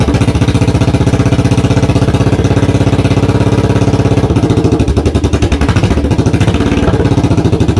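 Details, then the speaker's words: 1982 Yamaha XV920 V-twin, first start after 10-month cafe conversion rebuild: very loud, fast, uneven thump with harsh crackle, running with most of the exhaust missing. "that is loud isn't it"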